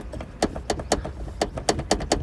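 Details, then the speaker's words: Honda Accord trunk: sharp, uneven plastic clacks over bumps from the third brake light housing rattling on a loose mounting clip; duct tape and foam tried around the light as a fix. "And I found what the problem is this housing, this third brake light housing. Whenever I go over a bump, it shakes."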